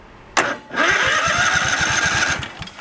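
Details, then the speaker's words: Craftsman riding tractor cranking steadily without starting: one cylinder has no spark and little compression. That cylinder's coil is suspected dead. "no spark and there's something there for compression but uh not much"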